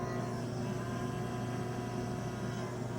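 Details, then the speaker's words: E-bike charger cooling fan, previously greased with lithium grease and seizing again: steady hum with a thin constant whine from the dry bearing, squealing when cold; being re-oiled with 3-in-1 oil. "of course now it works well when it's cold it squeals so we're going to try a different oil"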